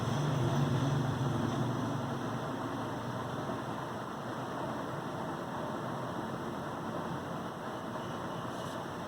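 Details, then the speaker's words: Recent Lenovo laptop after dust cleaning of fan and heat sink, which had caused fan noise and overheating: even, airy whir settling slightly after startup with no crackle or ticking; fan now silent and smooth, normal. "देखो laptop को बिल्कुल silence हो गया, कोई sound नहीं है, उसकी fan बिल्कुल स्मूथ मूव कर रहा है।"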